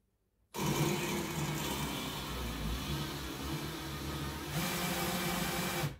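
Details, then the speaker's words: Even, dry scraping hiss for about five seconds while lapping the number 4 intake valve with abrasive paste during a cylinder head overhaul on a VW Cox 1600 engine. The valve is turned back and forth on its seat and the paste is cutting properly. "T'as entendu ce bruit abrasif?"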